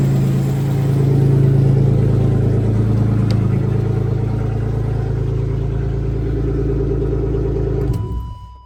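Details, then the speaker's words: BMW E36 318i swapped from four-cylinder to M50 engine, first start with unfinished exhaust lacking hangers; catches and settles into a steady even low idle with no knock or tapping, then shuts off cleanly; healthy. "Starts right up. No problems. That's what we want to see."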